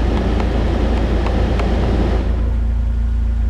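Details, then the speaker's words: 2000 Jeep Wrangler heater blower: steady fan rush over a low hum suddenly thins as the blower drops off speed 4; worn contact in the blower speed switch, not the motor, which restarts when the switch is nudged. "See, it's a weird contact to number four. I can turn it on, watch this. It off like that. The contacts in this switch."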